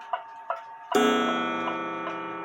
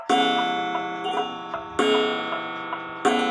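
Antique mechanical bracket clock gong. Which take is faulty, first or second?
second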